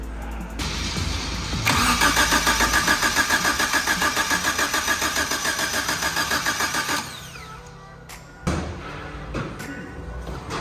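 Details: Suzuki Samurai with swapped 1.6L 16V engine, reinstalled after head gasket failure and new head: steady cranking about 3.5 compressions a second for five seconds, not firing; timing thought to be 180° out.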